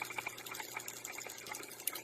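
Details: Backwashing carbon taste-and-odor filter, discontinued control board replaced with relays, run in manual mode: steady rushing hiss of water with light gurgles and no knocking or chatter; normal backwash flow.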